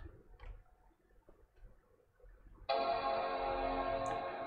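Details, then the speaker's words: 2012 13-inch MacBook Pro that had muffled speakers, reassembled after repair: after a quiet pause a full, clear startup chime rings out and fades evenly, no muffling or rattle, distinctly louder than before, all speakers now working. Normal startup chime. "was a distinctly louder chime than the previous ones we've had i feel good about that"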